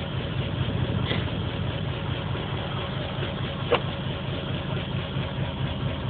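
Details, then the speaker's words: Engine with 440 cc injectors on stock ECU via patch harness after ECU relay fix, fresh plugs replacing black fuel-soaked ones, P0300 and pending P0300, light flashing: uneven lumpy idle with irregular stumble; random misfire, cause unconfirmed. "t's not saying what song it's misfiring at just telling me it has a misfire again light is flashing"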